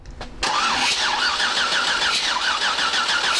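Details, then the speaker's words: 6.8 LS3 stroker in a '55 Chevy pickup, first start attempt: starter whirs at an even cranking speed with no firing pulses; no spark, suspected to be tune-related, and spark returned after checking with the laptop. "no spark okay so something tune related yes I think it's a tuner related"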